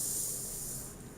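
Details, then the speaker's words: Car audio preamp with gain turned up to the 2 o'clock position gives a steady high-pitched hiss; silent when turned down. This is the normal noise floor at high gain and can't be fixed. "เร่งไป14:00น.เลยดูใหม่นะปิดนี่คือเงียบครับไม่มีซ่านะฮะปิดคือเงียบนะฮะแต่ถ้าเร่งไป14:00น.นะฮะก็ซ่านะครับผมแต่ผมถามหน่อยใช้งานจริงมีใครหมุนขนาดนี้มั้ยนะฮะก็สร้างเป็นเรื่องปกติครับอย่างนี้แก้ไม่ได้นะฮะ"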